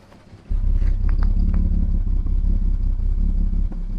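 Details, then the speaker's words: 1975 Jaguar XJ6, coolant leaking into cylinder 2, after K-Seal head gasket treatment, hot day, heard at tailpipe: steady, even low idle, no misfires. Normal idle. "That is running normally, except being a little more tappety than normal, but that is just that oil. Not regular oil. This thing is nice and quiet."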